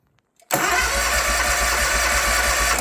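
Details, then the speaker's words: New Hustler Surfer Pro mower brought in for no-crank; cause was the parking brake, which must be engaged to crank. With brake engaged and choke up, the small engine catches at once and settles into a steady, even chug; starts and runs fine. "it starts or it cranks and it's just got this whole Whirlwind of things that you're supposed to do"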